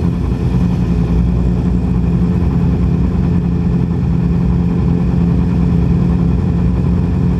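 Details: 2010 Yamaha R6 four-cylinder running on only three cylinders from bent valves in cylinder 4; loud, lumpy run with uneven hollow beat instead of smooth four-cylinder buzz, a dead cylinder from bent valves.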